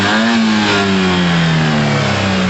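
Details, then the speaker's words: Yamaha TMAX after carb clean on its second start-up attempt, warmed up to temperature with the cooling fan running; strong, clean revs that climb and settle evenly with no misses or rattles, running healthily. "ounds amazing to me."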